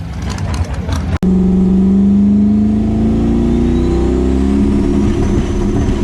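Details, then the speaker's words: Boosted car on drag test passes with transbrake, no setup changes made. The engine revs hard under load, but the note turns ragged and uneven, breaking up and misfiring at power. Plugs were mentioned; the cause is unconfirmed. "alright guys breaking up there a little bit why we're out here making test passes we even really change anything on the car setup wise"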